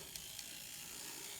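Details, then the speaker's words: N scale Kato SDP40F model locomotive running on track: a faint, thin high whir and tick from the drive, with the gears louder than normal. Suspected cause: the truck sits too close to the worm gear. "usually they're whisper quiet unless you can hear the gears making noise so i know i can do better"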